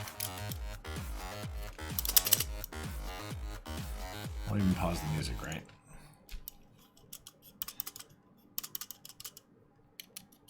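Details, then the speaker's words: AliExpress TKL keyboard with blue Alps switches and an LFK PCB/plate, before rattle reduction: quick irregular typing with music over the first half. Each keystroke gives a loose, hollow rattle rather than a clean click. "So that's super rattly, but we will reduce that coming up."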